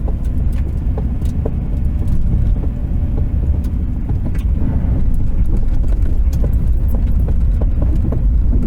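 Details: Irregular sharp pops mid-dash from a 1993 Subaru Impreza wagon, EJ18 1.8L SOHC, manual, AWD; only when warm, decelerating from 35 to 20 mph after about 5 miles at 55 mph, silent when cold; cause unknown.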